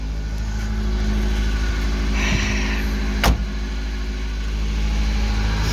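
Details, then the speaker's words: British Leyland Austin Princess just restarted after restoration, cold in a snowstorm: even steady low idle hum with no knocks or stumbles and one brief click midway; running smoothly. "Oh, it's good to hear her again. Oh, what a beauty."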